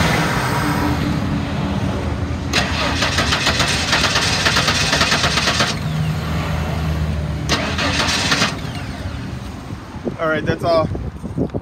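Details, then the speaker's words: 1994 Ford F-150 XL sitting about three years, started on starting fluid: two cranking bursts, catches briefly and dies within seconds; motor sounds good, bad fuel pump or bad fuel tank/old fuel suspected. "all she's gonna give us i'll take it the motor sounds good may just have a bad fuel pump"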